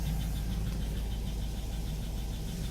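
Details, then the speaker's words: 2002 Cadillac Escalade 6.0 LQ9 LS engine, cold morning idle after sitting overnight, following Seafoam, cleaned pushrods, engine flush and an oil change: faint, quick, even valvetrain tick near cylinders 5 and 7 that persists. The cause is unconfirmed. "Yeah, there's a small valvetrain noise. Seems to be a common issue for the LS motors."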